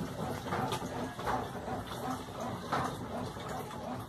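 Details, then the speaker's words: Washing machine after a mains wiring fault was corrected (phase and neutral swapped), running wash-only on the normal cycle: soft swishing of water churned about once a second, steady with no knocks; agitator working normally. "vou colocar só no lavar só aqui só no lavar tá aí lavando só no normal tudo normal liga desliga"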